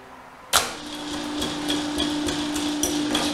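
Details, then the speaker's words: Rebuilt Wrightway electric hoist, tested lifting a MIG welder as a light load: the motor hums steadily with sharp, regular brake clicks. It is lifting normally after repair. "put a little load on it how about that hear that brake clicking up"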